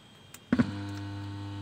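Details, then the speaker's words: Philips MMS2080B 2.1 Bluetooth speaker (TDA2030A amplifier), opened up: a thump at switch-on, then a steady low mains-pitch hum with faint overtones droning from the subwoofer, which shouldn't be there. Amplifier hum. "मैं इसको on करता हूं आप यह आवाज सुन रहे हो speaker में हम की आवाज आ रही है जो कि नहीं आनी चाहिए"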